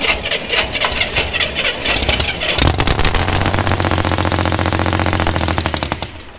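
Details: Snow Bombi project vehicle, spark present, cylinders not primed with fuel, starting fluid being fetched: fast uneven starter chatter about four beats a second, then fading hum; cranks but never catches, starter nose then breaks.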